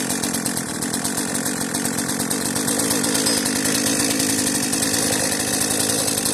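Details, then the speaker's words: Cheap modern chainsaw, a marketplace find, running on old fuel left in its tank: a steady, even two-stroke buzz with a quick, regular firing beat and no stumbling. The carburettor is working. Normal running. "It hasn't died yet. Is there fuel in this thing? There must still be good fuel in this tank, and the carburetor is actually functioning."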